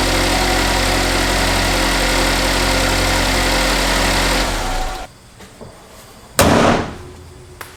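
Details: GM 2.0/2.4 liter engine (Cobalt, Equinox, Terrain) started after spark plug change: even, steady idle for several seconds before shutting off, no misfire stumble or ticking; runs healthy.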